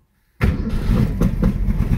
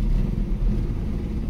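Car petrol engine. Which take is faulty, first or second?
first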